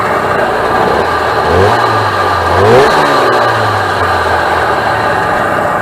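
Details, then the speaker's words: 1996 Sea-Doo SPX 717 two-stroke jet ski, fired up on gas after sitting, running premix with oil still in the injection oiler, a little smoky; crisp buzz picking up cleanly on throttle blips and settling evenly, sounding healthy: normal running. "yeah she she sounds pretty healthy from what I understand by listening to it"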